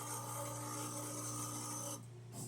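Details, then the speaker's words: La Spaziale Dream T espresso machine after a control board replacement for boiler overfilling: a steady pump hum for about two seconds, then a clean cutoff when water reaches the level probe; normal pump shutoff. "The issue before was that the pump wouldn't turn off. So you'll hear, in a moment here, the pump will turn off."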